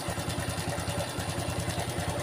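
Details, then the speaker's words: Honda Revo FI injection motorcycle, owner complains of rough noise: single-cylinder idle with quick dry metallic clatter each beat, loudest at the left side of the head; worn camshaft lobe and rocker roller, disassembly planned to decide replacement. "nih suaranya pasti daerah sini nih ke daerah sebelah kiri nanti kita lakukan pembongkaran di area yang bersuara ini tadi udah sampaikan ke ownernya bawah ini sentrik nya"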